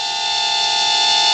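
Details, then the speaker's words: Temu XD1 Pro mini camera drone with 600 mAh battery, in flight: steady piercing high whistle holding one pitch; odd tone, owner wonders if it's the battery going low, cause unclear. "I don't know what that noise was. It made a noise. Is that the battery going low, or? Huh. I thought that was kind of bizarre."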